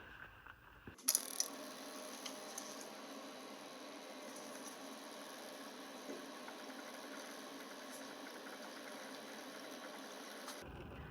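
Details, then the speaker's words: Mustang 3300V skid steer at its 500-hour service, fuel filters just changed: with the key on, the electric fuel pump gives a faint steady hum and light ticking for about ten seconds, filling the filter bowl, then stops; it primes normally. "right that electric fuel pumps filling that bowl of priming up the system"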